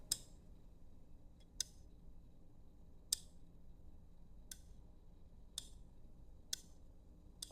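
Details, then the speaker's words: Snap-action limit switch operated by hand via its roller actuator, not wired: crisp single clicks about once a second as NO/NC contacts switch; normal operation. "When I turn the limit switch like this, please look at the terminals. We have something like a thermostat. When I push it this way, we'll see the switching."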